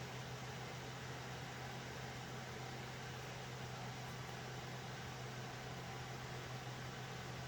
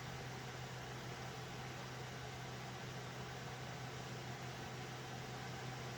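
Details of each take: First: Alphacool Eisbaer Pro Aurora AIO liquid cooler after pump-motor replacement, under a full stress test in a server: steady airy rush of loud fans over a low constant hum with no rattle or pulsing. Cooler is operating normally. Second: Loud server cooling fans beside an Alphacool Eisbaer Pro Aurora AIO: steady airy rush over a low constant hum, even and unchanging; fans simply noisy, to be swapped out.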